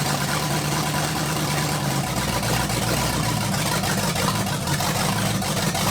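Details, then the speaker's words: 1980 Dodge short bed truck with big block V8, first run in 14 years: steady even low rumble, no misses, knocks or ticks; smooth idle. "first off what we need to do is just listen to this thing run got everything wired up make sure everything's charging and good to go"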